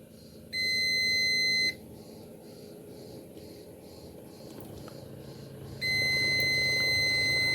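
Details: Tabletop fan that will not run: two long steady multimeter continuity beeps on the speed selector switch outputs, switch passing current, leaving the motor winding to check.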